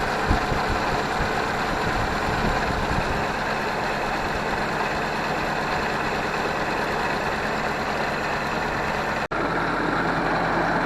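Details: Ford 641 Workmaster tractor, pasture find sitting at least 10 years, after starter rebuild and gas tank clean, warm day with no choke: steady low even idle rumble, no knocking, misfire or grinding; normal idle.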